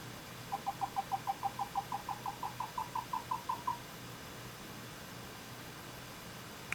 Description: My 2nd HX650 and both have had the same problem. The fan makes the craziest chirping sound (I describe it as a dolphin crying) as the fan speed spins up and down.